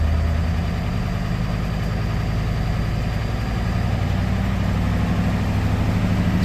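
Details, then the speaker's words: 1991 Ford F250 7.3L IDI diesel at low rpm: knocking clatter with a faint thin steady high exhaust whistle; noise unchanged on diesel-only tank, injectors pop-tested around 1600 psi and cleaned. "Here's the sound of it kind of knocking. You might be able to hear the whistling."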